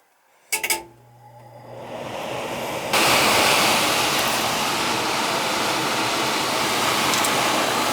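A couple of sharp clicks, then the fan spools up to a smooth, steady rush of air: the blower is running normally.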